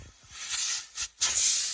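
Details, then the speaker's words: 1979 Kenworth W900A restoration on shop air: switches worked with lines not yet hooked up, fifth wheel and diff interlock lines open; sharp high hiss of air rushing out in pulses from an unconnected line. "Okay, there was a few lines that I haven't hooked up yet. Yeah, there we go. Okay, so that was the line for the fifth wheel."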